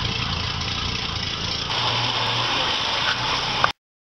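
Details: 1949 Studebaker C-cab pickup six, started after glass-pack mufflers were replaced with a full pickup exhaust and muffler, checked for leaks at manifold flanges and muffler: steady, even idle with soft smooth exhaust note, no puffing or ticking; normal idle.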